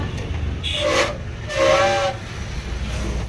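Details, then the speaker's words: Two loud, wavering squeals over low rumble under braking, like a big truck's brakes, from newly fitted drum brake shoes. "বন্ধুরা বুঝতে পারলে কেমন একটা আওয়াজ হয় ব্রেক মারলে যেন বড় গাড়ি যেরকম ব্রেক মারে সেরকম আওয়াজ হয়"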